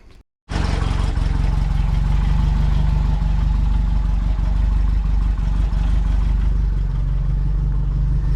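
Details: Renault R8 engine after oil and filter change, previously run low on oil: steady, fairly even idle with faint light tapping up top, suspected top-end wear; no shiny bits in oil, heavy blow-by from rocker cover.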